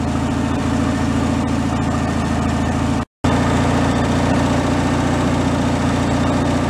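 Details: Free derelict Craftsman riding mower engine, started by key on fresh fuel after repairs, warming up before an oil change: steady, even low-pitched idle with a constant beat, no misses, knocks or surging; normal idle.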